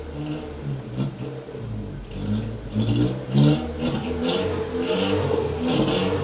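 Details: Datsun 120Y after carburetor cleaning and clean fuel tank; revs freely through a few uneven throttle blips without bogging or stalling. Normal free revving, previously only idled; still very hard to start, with a really weak spark.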